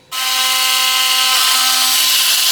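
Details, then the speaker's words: Philips Sonicare toothbrush with a loose tip/neck; harsh, hissy high buzz over a steady tone, with the neck rattling and not really brushing. The cause is a loosened or cracked internal screw/shaft. "It has a broken neck, a loose tip, call it what you want, and it's not really brushing, and it sounds pretty unhealthy too."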